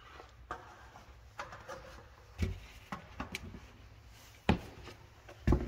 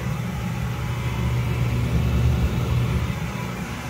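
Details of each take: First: Gas hanging unit heater on startup: scattered clicks, then a steady high whistle rising as the burner lights; caused by gas flowing through an undersized flex hose. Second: Gas hanging heater that whistled high-pitched on startup, after fitting correctly sized flex gas hose: smooth, even low roar with no whistle; burner firing cleanly and quietly, noise fixed.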